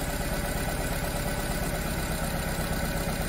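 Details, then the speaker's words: Nissan Tiida/Versa petrol four-cylinder with no fault code, injectors disabled one by one with scan tool: lumpy, loping idle running on three cylinders, disabling injector 4 changes nothing, so cylinder 4 is dead. "the last one it's got to be cylinder injection number four obviously all others are working but let's try it injection number four see nothing is happening"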